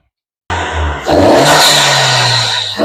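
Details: 2024 Honda Civic Si, just after installing a 27won short ram intake: engine catches, then pulls up into a loud throaty rev and holds it cleanly, with strong healthy response and no misfire.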